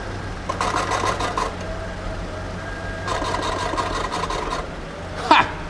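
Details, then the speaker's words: V12 BMW E32 750iL on a lift, rear end raised, warm and driven in gear; bursts of fast raspy scraping over a low engine hum, the heat shield above the exhaust catching the driveshaft. "it's the heat shield above the exhaust all right turn it off there's a heat shield above the exhaust"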